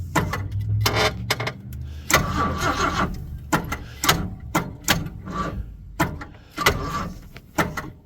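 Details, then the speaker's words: 1979 Ford F150 shortbed 4x4, 300 straight six, sat 4 years: sluggish, uneven cranking bursts with the odd weak kick, barely turning over; first wondered about fuel in a cylinder, then thinks the battery is bad (no jumper cables). "I think the battery's crap well it appears I came very equipped for this I have no jumper cables and my batter's crap"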